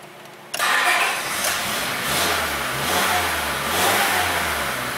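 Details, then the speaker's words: 2004 Honda Civic 1.7, about 200,000 miles, towed in with a crank no-start; starts only with throttle, revs surging and sagging, choppy, dies or idles very rough on its own; rough running. "it does start and run. Running pretty choppy, then it dies if you let it idle."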